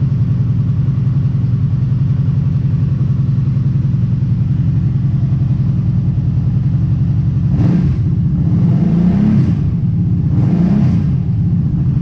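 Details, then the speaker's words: Kawasaki Brute Force ATV idling with spark arrestor removed for cleaning, sound meter reading about 65 dB at idle: steady, deep, fairly loud idle with quick throttle blips, open exhaust note, loud exhaust with spark arrestor removed. "alright looks like it was dancing around like 65 or so on idle and I'm gonna put it back in"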